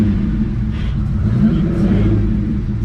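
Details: Ferrari 365 GTC/4 V12, ice cold, after carburetor strip-down and accelerator pump jet repair: steady, deep, even run with smooth rev swells, no stumbling or popping; pulling cleanly.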